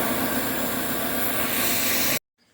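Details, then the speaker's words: 2002 Dodge Neon hunting at idle: loud steady hiss over an even idle from a hole in the accordion intake tube behind the throttle body, which stops when covered and the idle steadies; intake air leak. "found it right there bam look at that guys see now it's running like it's supposed to be running you can hear the air leak this accordion tube here all"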